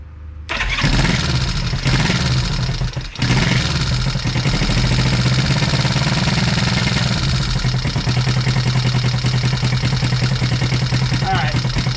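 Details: 1973 Honda CB350, sat outside 18 years, restart on bench with a little throttle, oil leaking from gaskets fitted wrong way: catches quickly, small blip, then steady even idle with very quiet exhaust note; oil pump confirmed working.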